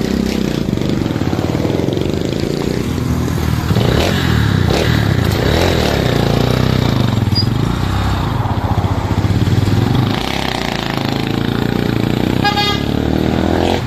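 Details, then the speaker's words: Single-cylinder motorcycle after repair of misfire, rising-and-falling idle and exhaust popping: idle now low, even and steady with no surging or exhaust pops; normal idle, problem fixed. "Okay so Ayun Naayos na nga ang unit nung ating customer so nawala na yung pamumusakal na rin yung kanyang mismong Menor hindi na siya nagtataas baba Gaya nung kanina"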